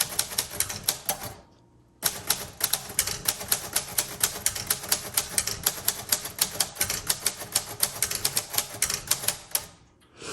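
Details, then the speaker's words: 1938 Royal Model O manual typewriter, typed slowly and firmly: crisp, firm key strikes at about five per second, evenly spaced, with a brief pause; types normally, suits slow, methodical, confident typists. "also this one doesn't like to type fast so if you are slow methodical and confident this is your typewriter"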